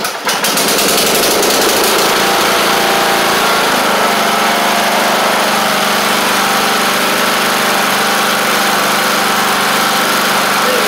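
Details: MTD Craftsman LT1500 riding mower after engine swap: engine catches quickly and settles into a smooth, even run at steady speed, no misses or knocks; sounds healthy.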